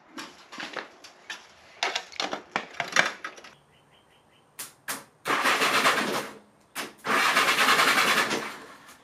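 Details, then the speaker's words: 1975 Honda GL1000 Goldwing interference engine after camshaft timing belt replacement: starter cranks in even bursts with steady compression pulses and no metallic clatter, timing set right and valves not hitting; normal cranking. "So it sounds like everything's working correctly and timed right."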